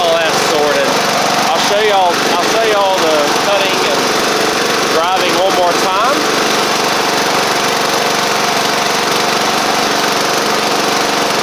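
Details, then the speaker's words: Sabre riding mower after drive belt, blade and oil-leak work, burning off caked oil on the exhaust (earlier cold starts smoked): steady, even engine drone at one speed without skips, knocks or surging; normal running. "but regardless y'all see that it's running fine otherwise"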